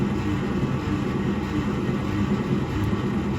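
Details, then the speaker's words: 1948 Studebaker Champion flathead six, long abandoned, cranking on starter: steady cranking about a beat and a half per second with uneven compression pulses, sounding like 5.5 cylinders; one cylinder possibly weak, not confirmed. "Okay. It sounds like, 5.5 cylinders? Okay, we have an engine that turns."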